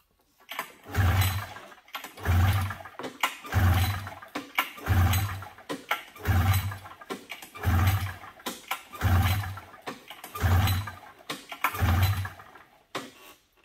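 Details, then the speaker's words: 1997 Polaris XCR 440 twin liquid-cooled two-stroke snowmobile: eight slow even pull-start strokes, low whirr, no firing; cranks but won't start until fuel is drawn into carb float bowls, later primed via plug holes. "looks like we're starting to get fuel up into the carbs I don't know if you drained the bowls or if he just drained the gas tank"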